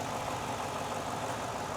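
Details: Idle on a Ford Mustang Bullitt (year unknown) being diagnosed for a lit check-engine light, heard after a vacuum line was pulled and refitted with fuel pressure settling around 39–40 psi: steady, even idle, smooth unbroken note, no hiss; sounds healthy.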